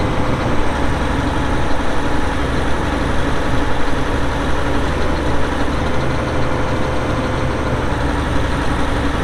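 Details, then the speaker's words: 2002 Volvo G736VHP motor grader, Cummins diesel, about 6,691 hours (hour meter not working): deep steady diesel idle with an even rumble and no knocks or rattles; starts and runs good, normal idle. "it does start up and run good you'll hear that here in a little bit when we fired up and do the operational video"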